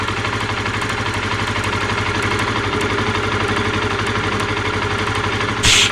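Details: Honda CBR125R single-cylinder idle with faint, sharp high ticks snapping regularly, first heard while riding; spark leaking from a badly rusted plug lead, rust cleaned as a stopgap, lead replacement suggested.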